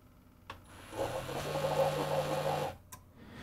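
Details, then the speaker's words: Failed Keurig coffee maker: the pump motor hums up to full speed at a fairly high pitch for under two seconds, then shuts down with no water dispensed; suspected missing speed signal, possibly from a hall sensor counting rotation. "and it the motor goes to full speed but it just ends up shutting down and nothing has come out it's still you know dry for me dumping it out so it seems like the lack of a a speed signal here"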